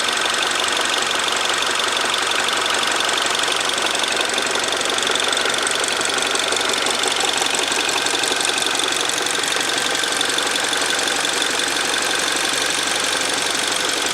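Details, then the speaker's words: Freshly rebuilt R56 Mini Cooper S, idling, no vacuum, intake or exhaust leaks found: fast light ticking about three taps a second, unchanged after rebuild; owner unsure if this tapping is normal, cause not confirmed. "so as you can hear it's pretty much the exact same so please let me know is this normal is this how these engine sound I know they're definitely not renowned for being one of the quietest of engines but you know is this knocking slash tapping slash ticking noise completely normal or do I have a much bigger issue on our"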